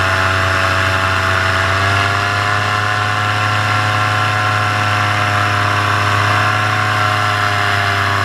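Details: Paramotor in flight just after launch, full fuel tank, motor under an hour of flying time, full throttle: steady, even buzz at constant pitch with no stumbles or dips; holding revs properly before the later failure.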